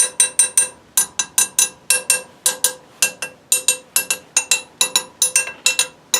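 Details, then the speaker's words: Tap test on a welded broken cast iron leg of an old upright parlor stove; each light tap gives a bright ringing tink, not a hollow thunk that a structural crack would give; solid weld. "You hear how the fact that the sound doesn't change? If it had a big structural crack in there, the sound is going to be much hollower, more of a thunk than a tink."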